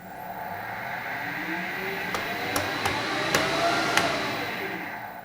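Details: Harrison HS170 universal milling machine, main motor in the base run with no belts fitted: whining hum with a few sharp clicks, so the noise comes from the motor itself, which will have to come out.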